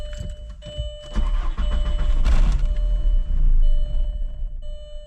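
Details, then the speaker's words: 1999 VW Golf MK4 2.0, sat for two weeks, misfire codes P0300/P0302/P0304: starts, runs rough a few seconds, sags and dies; stalling caused by a bad mass air flow sensor. "All right, first it did that. It would start, then die. Let's see if I can keep it on."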